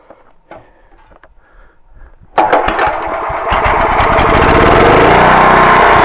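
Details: Generator that had sat for 6 years with gummed fuel, after its carburetor was cleaned with carb cleaner, fires on the first pull into a steady, even run with no misses; normal running.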